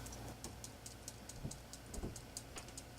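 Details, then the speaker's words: Bearing from a 1947 Philco 47-1230 radio-phonograph record changer, spun after the grease was cleaned out with lacquer thinner. Light, loose ticking of the balls rolling freely, with no gritty drag, shows the bearing is clean. "you can tell by the sound that this thing is clean listen to this"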